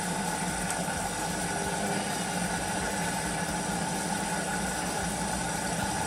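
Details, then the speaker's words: Whirlpool AWOE 8760B washer after motor brushes replaced for F06 no-spin error: near end of full cycle, rinse and spin-out, even steady hum with constant motor tone, no knocking or grinding; running normally. "and then you can see it's nearly completed a full cycle and this is just the end where it's uh rinse rinsing it spinning it out"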